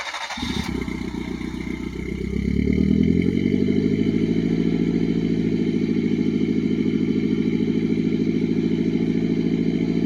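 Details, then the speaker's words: Mitsubishi Pajero Mini turbo, five-speed, new custom 2-inch mandrel-bent exhaust with short turbo muffler, no converter; cold start from outside: catches quickly, revs flare then settle to an even, steady idle; turbo more noticeable than the mellow exhaust; normal. "really the turbo is more noticeable than the actual exhaust note is nice and mellow down low"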